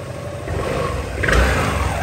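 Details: Honda SH300i 2020 scooter, original clutch before repair: the engine note rises unevenly with a shaky, stuttering pull and revs hang low as the throttle opens. Stuck, worn clutch judders on takeoff, alongside a howling drive shaft.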